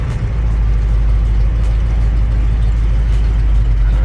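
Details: 1978 Ford F150 4x4 Midas Touch, 351 V8 with C6, 83k original miles, first start of the day, cold; deep steady even rumble with no knocks, ticks or misses: healthy cold idle.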